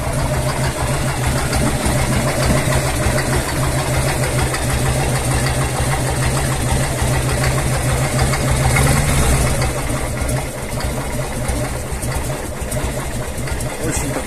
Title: Так стучит умирающий коленвал Harley-Davidson Evolution 1340..